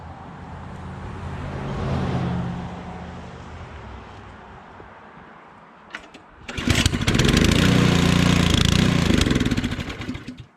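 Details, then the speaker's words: Powersmart 212cc 26-inch snowblower, cold start after three primes (owner usually does five); fires, runs briefly and fades out, then a second pull brings a loud steady run. Stall from too little priming. "so there's the first stall that was three primes now I usually do five"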